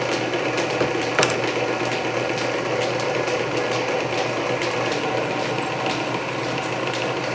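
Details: Canedy Otto drill press with freshly re-laced belts, on second-fastest speed because the loose main drive belt slipped at fastest, small bit under power feed through steel; steady hum with light ticking and chatter — normal drilling.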